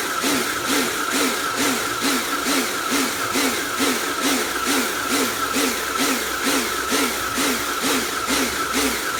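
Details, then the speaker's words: Karcher pressure washer rebuilt from B202 and K2 14 units (frost damage, motor failure), spraying under load: motor and pump surge about twice a second; buzzes before water on; cleans fine, pulsing cause unknown. "i'm not entirely sure what uh that pulsing noise is from i don't i have a bosch one that i use"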